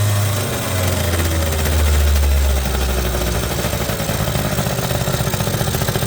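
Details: 1980 Suzuki FS50 scooter, roadside find sitting an unknown time, run on oil-heavy fuel mix: even, rapid popping beat at a steady low two-stroke idle with no misses or rattles; runs well, carburetor could use some tuning.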